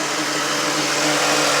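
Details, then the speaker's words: 2000 Mustang petrol engine, cold, coolant reading -40 with fans stuck on, suspected faulty ECM: a steady, fairly high buzz from the idle air control valve over a poor idle; it hiccups and wants to choke when revved. "Alright, you hear that buzzing noise? That's from the idle air control valve. I'm not going to say it's a huge deal."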